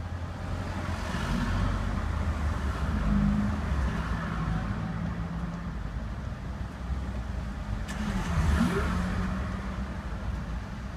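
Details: Range Rover P38 4.6 V8 (Bosch) after misfire diagnosis holds a smooth, even idle, then is blipped up and falls back cleanly twice, with no stumble or missing beats; normal running.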